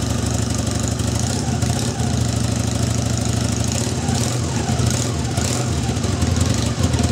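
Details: Bike with a rewound Honda CB250N stator (379 ohms, over 118 V output): starts on choke, smooth even single-cylinder beat at steady fast idle, no knocks or misses; normal running.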